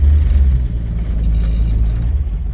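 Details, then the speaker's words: 1948 Chevy Fleetline 2-door sedan: clutch in, a little gas, engine rumble swells as the car pulls away in reverse and forward with no chatter, judder or grinding; clutch engages smoothly, normal. "There she goes. No problem at all. Same with forward."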